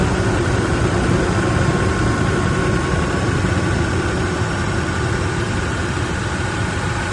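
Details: Toyota 1VD V8 diesel with a faulty camshaft: loud idle with an uneven tapping about four times a second.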